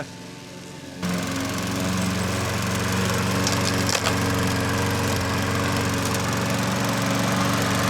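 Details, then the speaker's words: Old Troy-Bilt push mower that would not start, after carburetor cleaning: after a second of quiet it catches and settles into a steady, even drone with no misses or surging, running well. "And then you never know. It's just going to fire up. That's pretty good, wasn't it? That's good."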